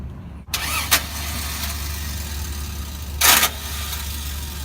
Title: Toyota Land Cruiser 1994 starter replacement and repair and bad starter sound